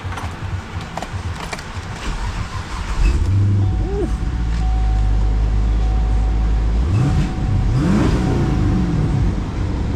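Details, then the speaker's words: Wrecked salvage 2013 Camaro 6.2L V8 with 82,350 miles, well maintained. Starts to a smooth, even idle, then clean rising and falling revs with no knocks or ticks. Normal running and revving. "This one sounds amazing for the mileage. Somebody maintains this thing very well."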